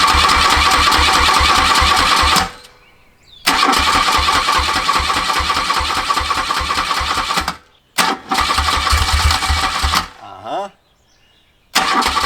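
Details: 1981 BMW R100RS with Krauser 4V head conversion and Bing carbs, first start after nearly a decade stored, fresh 93-octane fuel, new oil and brake fluid; twin fires with steady pulse, cuts out twice, then catches again.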